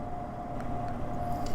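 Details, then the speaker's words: Hampton Bay LED infrared electric fireplace log set with heater on: steady low whoosh and faint hum of the heat fan blowing, a little noisy; silent when heat is off. Normal heater fan noise. "when the Heat's on it does have a fan that's obviously blowing out the heat so it's a little bit noisy and you can kind of hear it right now but when the heat is off if you turn it off it's dead silent"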